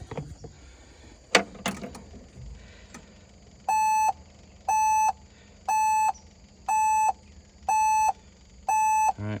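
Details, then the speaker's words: LS MR232 HST tractor that will not start, key on with the shuttle in neutral and the engine off: six even, mid-pitched beeps about once a second, a parking brake warning that blocks starting. "right, parking brake's flashing, release parking brake. Parking brake has been released. Now it says engage parking brake."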